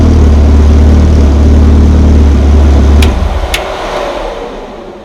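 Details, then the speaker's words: Ecotec swapped into a Baja Bug, first start-up in neutral: strong, steady low note that settles as revs drop, slight burble just off idle; fired right up and runs well. "and I'm pretty good a little a little bit of a burple right off idle but you know let's go back I can smell some stuff fired right up though"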